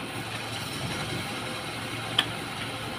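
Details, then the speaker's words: Used standard Suzuki Katana inspected before purchase, idling: quiet, even idle with a soft steady hum and one brief click, no knocks or misses; engine vibration calm and not shaking, judged stable and problem-free. "Kita dengerin aja ya tem-teman untuk mesin yang sehat yang stabil yang Insyaallah tidak ada masalah itu dilihat dari getaran mesin ya dia tenang tidak goyang-goyang ya karena stabil p"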